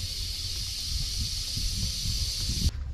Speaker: what we do is we drop the rear Jacks and once they hit the ground you'll start hearing the airbags hissing and that's deflating those bags and that hissing sound will go on for several minutes